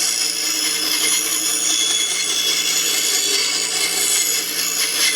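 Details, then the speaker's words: Restored 1950s Atlas 10" band saw Model 9360, sat unused for years, test cut after cleanup and tune-up with a dust chute added to shield the motor: steady hiss of blade cutting wood over a low, even motor hum, no knocking or chatter; healthy. "I'm really happy with how this turned out I'm so surprised with how smooth this all is man they sure don't make them like they used to"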